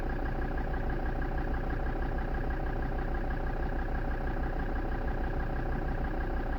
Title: defender td5 rough idle